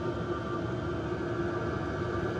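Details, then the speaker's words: BougeRV portable diesel heater once warmed up (about 7-8 minutes to start blowing heat): steady blower rush and faint hum, fuel pump ticking heard at startup now gone; running normally. "It's quiet. Remember that fuel pump ticking? I don't hear it at all."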